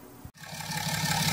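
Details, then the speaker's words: BMW 435d straight-six diesel started right after oil and filter change: brief silence, cranks and catches into an even steady diesel rhythm, no knocks, no leaks seen; healthy start and idle. "there you go the lovely sound the straight six diesel right we're looking good around there don't see any leaks there"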